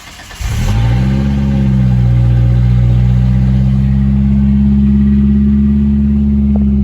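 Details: 1993 Ford Ranger 2.3 L cold start after sitting about 8 hours, following fuel pressure regulator replacement aimed at overnight pressure loss: brief crank, catches at once on the first key cycle, steady even idle with no stumble; normal cold start.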